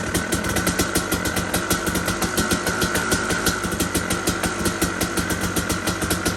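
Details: KTM 250 two-stroke enduro bike, cold first start on choke after sitting just over 6 weeks, second kick; crisp, even popping about six to seven beats a second with steady ring-ding tone; clean normal idle.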